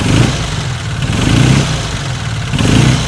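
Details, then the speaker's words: Classic Fiat 500 twin just upgraded to 695cc: crisp throttle blips about once a second, revs climb quickly and drop back cleanly without misfire, picking up far better than before; normal revving. "that just picks up way more than it does used to isn't it"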